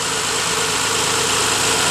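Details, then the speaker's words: 1998 Honda Passport/Isuzu Rodeo petrol engine restarted with the serpentine belt removed to trace a whining noise: quiet, steady idle with airy hiss and no whine, so the wobbly idler pulley's bearings are blamed and the pulley will be replaced. "got it fired back up again without the eye but without the serpentine belt it's just the motor running so it's pretty quiet now so it's got to be uh the idle pulley"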